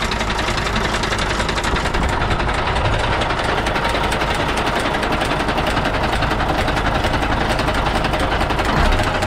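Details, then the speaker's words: Doosan DE12TIS six-cylinder diesel running: loud, uneven clatter about one and a half knocks a second, louder when throttle is applied or released; a bent valve pushrod, with no oil lubrication seen. "je peux entendre son bruit fort lorsque nous mettons le gaz ou lorsque nous coupons le gaz. C'est le bruit du moteur qui explose lorsqu'il est plié."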